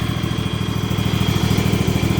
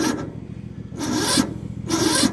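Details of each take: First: Husqvarna small engine on a frosty morning, about 33 degrees, with the battery charged overnight at 2 amps. It had failed to start at 30 degrees until the valves were adjusted. Now idles with a quick, even low putter and steady pulses, no misses or knocks; runs clean and healthy. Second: Yard Machines small engine on a cold, frosty morning (about 33 degrees), choked. Three sluggish cranking bursts about a second apart, dragging without catching; slow, labored cranking. It ran great yesterday but won't start after sitting overnight; owner suspects the battery, not confirmed.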